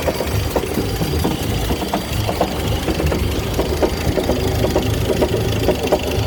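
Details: 1958 Chrysler Crown Special M-47S marine petrol engine, rebuilt two years ago, idles with a new irregular clucking knock, about two taps a second, yet still runs smoothly; cause unknown.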